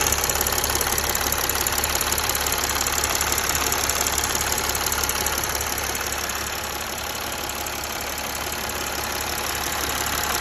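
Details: Mercedes ML 280 CDI, OM642 diesel at idle: sharp regular tick about three per second over the idle, steady throughout; engine ticking at idle, source untraced.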